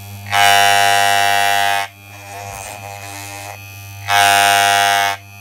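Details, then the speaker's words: Wahl electric clipper during tune-up: buzzing with two louder rattly stretches and a lower steady hum between them; blades set to strongest normal running. "So to do this, get the screw and turn it clockwise until you can hear a really loud sound. Once you hear the loud sound, you just quarter turns anti-clockwise until the sound goes away, then that is the most powerful tune-up you got."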